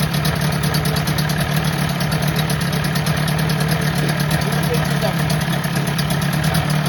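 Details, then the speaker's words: 1984 Johnson 25 HP two-stroke outboard, pumping water: steady buzzy run with occasional slight stumbles on throttle; owner suspects carburetor float bowl, carb to be gone through, unconfirmed. "Little sputtery on the throttle, but that could be car float bowl related."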